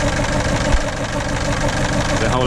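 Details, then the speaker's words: 2007 Ford Fiesta 1.4 TDCi diesel, sat about a year, weak battery on a jump pack: lumpy, uneven idle with an irregular stumble and the whole car shaking. It goes into limp mode; at least one cylinder isn't firing, with an injector fault suspected on cylinder 2. "it's the whole car's kind of shaking and yeah it's running really really really quite rough um I mean I have driven it um very slowly it goes into limp mode almost straight away um but it's definitely at least one cylinder not firing not working"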